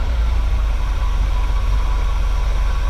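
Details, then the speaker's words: 1979 GMC Vandura G25 3/4-ton ex-camper van, carbureted, idling with vacuum gauge connected after routing the distributor vacuum line to ported manifold vacuum: deep, steady even rumble, vacuum up about 2 in from just below 15, idling a little smoother; normal idle. "It's a gain of probably 2 in of vacuum. So that's idle a little smoother."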